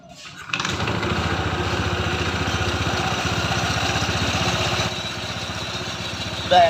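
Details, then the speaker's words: Honda ADV 160 scooter at 5,000 km with a growling CVT, after replacing the CVT bearing and before refitting the cover: fires and settles into an even, steady beat; the drive now sounds smooth. "guys halus halus kan kedengaran enggak dekatin ya kemarnya tadi kan diginiin kasar tuh sekarang halus"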